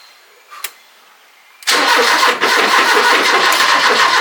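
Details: 40-year-old Ford Fiesta XR2, off the road about 25 years, after timing belt change, old fuel drained and fuel pump primed: starter spins steadily and it almost catches but never runs.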